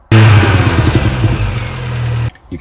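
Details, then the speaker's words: 2005 R53 Mini Cooper S on the driveway during fuel pressure tests, after timing chain, supercharger service and cat removal, held around 2,000–2,500 rpm then let off: rough uneven drone on lift-off. Cause not yet found; fuel pressure suspected. "it seems to do it more as well if you hold it around two thousand two and a thousand revs just on the driveway services not making too much noise and you left off it seems to do it a lot if you just rev it and then drop it"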